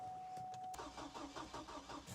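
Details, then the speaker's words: Auction Hummer H3, fuel gauge practically empty: after a chime the starter spins with even compression beats but the engine never catches; out of fuel. "Okay. So, the fuel level is practically empty. This could help it. It may not, but we need fuel for it to fire."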